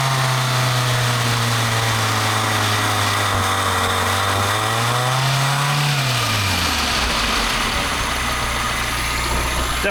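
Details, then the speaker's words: 1984 Toyota AE86 Corolla being revived, timing advance not yet hooked up: idles fairly steadily but revs rise and fall sluggishly and unevenly, settling to a lumpy idle; rough revving, cause not confirmed. "idles better than it revs, but I also haven't hooked up the uh timing advance or anything like that."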